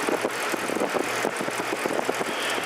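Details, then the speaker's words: Church split-system AC condenser after condenser fan motor replacement: motor hums steadily under irregular light ticking, the blade suspected to be touching overgrowth around the unit; new fan motor running normally. "that sound that you hear that's uh there's some growing in this unit cuz we're surrounded by all this crap right here and now I think the fan Blade's touching it but now the fan motor is working"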